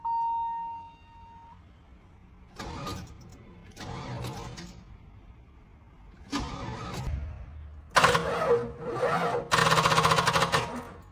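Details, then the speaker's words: 32-year-old Cadillac Fleetwood Brougham with a 5.7L V8, cranked on a temporary battery. Several short, slow, labouring cranking bursts that never catch. Owner first suspected the battery, but the starter turned out faulty, bodged with glue by a previous owner. "It feels like this battery doesn't have enough juice; it's struggling to crank it."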